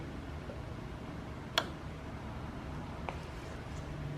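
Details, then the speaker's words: Omron LY2 DPDT relay in a power supply/battery backup circuit, unplugging mains: one crisp click over steady fan hum with no fan interruption as relay drops to rest and battery takes over; normal relay click. "I'm going to unplug it we should hear the click of the relay as it goes back to the normal position unpowered and the battery will kick in"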